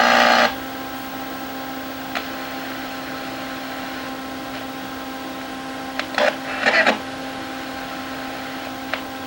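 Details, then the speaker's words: Radio Shack AM/FM table radio, AC chassis, no FM but AM works: steady hum and hiss with station bursts cutting in and out when probing FM transistor area; suspected open or shorted capacitor; intermittent FM from bad connection. "because I can get it to work for a few seconds it's like when I load this down my probe maybe a cap that's gone open in here or gone [Music] shorted right down in this area here"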